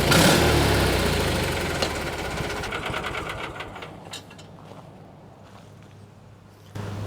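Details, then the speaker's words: 1986 or 87 Argo Magnum after the fuel system was cleaned and primed: catches and runs smooth and even, then settles quieter with no knocks or misses. It now runs and starts well. "well I think that uh seems to run pretty good [Music] [Music] [Music] [Music] well guys I think we're going to call that a win definitely runs well as you can see"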